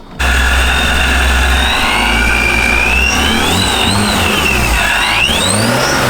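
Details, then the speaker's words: Boosted BMW E36 on MegaSquirt, low on ethanol with bad fuel: engine revs up and down with an uneven, stumbling note and wavering pitch; intermittent misfire across all cylinders, suspected crank position sensor or coil pack drivers, unconfirmed. "What we determined is that the misfire is basically it's not localized to one cylinder. It's kind of intermittent to all."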